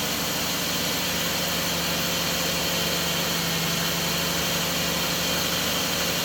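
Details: Engine started after the idler pulley bearing was replaced and the belt refitted; ping gone, power steering pump still leaks: smooth, steady idle with a constant low hum and no chirp, squeal or rattle from the belt side; normal idle.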